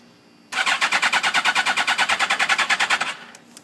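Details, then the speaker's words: 2006 Suzuki GSX-R1000 in neutral, battery 12.23 V, spark and air present, no FI light or codes, after being laid down: starter spins at about three even compression pulses a second, never catches; cranks, no start. "I'll give it throttle and I got nothing so anyone out there knows anything it's not throwing any codes"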